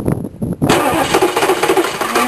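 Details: K3500 diesel with glow plugs and new starter that reportedly won't disengage, cold crank: a few slow, labored cranking bursts, then it catches and runs rough; hard cold start, cause suspected, not confirmed.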